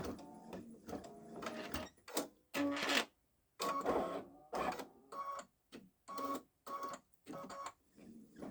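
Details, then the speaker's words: Baby Lock Solaris Vision embroidering Christmas train design: choppy stitching bursts with pauses and faint high squeak in some bursts; intermittent squeak, source unknown. "two minutes I still hearing the squeak tell me if you hear the I don't think it's a figment of my imagination"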